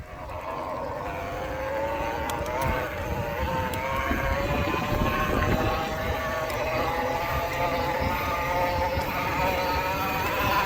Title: bafang M620 Whining noise